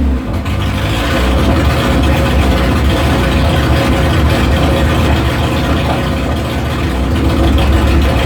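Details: 1973 Opel GT, 2.4 stroker Opel engine, Charles Goin FI intake, MaxxECU, first start after rebuild, no muffler: loud, deep open-exhaust idle with an irregular lumpy pulse, still untuned; rough idle.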